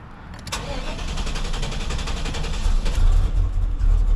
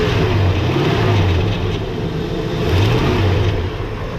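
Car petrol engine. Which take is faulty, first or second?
first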